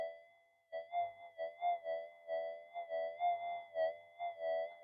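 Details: Modified pulse induction gold detector over a target, detected out to about 10 cm: steady faint threshold with repeated warbling swells about three a second as the coil passes; clean, strong target signal.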